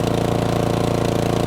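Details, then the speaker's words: Cub Cadet 3X 30-inch snowblower after its carburetor was cleaned of three clogged jets, choke fully off and under load: an even, steady putter with no surging or hunting, which is normal running. "next click that's as far as she goes that sounds so much smoother now with the choke off let's put a load on it no change sounds great"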